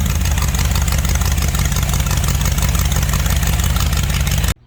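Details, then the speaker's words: V8 rat rod engine running on a carburetor borrowed from the wife's rat rod, still set up for her car and not adjusted: loud, lumpy, uneven idle that hunts a little; rough idle. "Then it's not adjusted out because it's set up for your car."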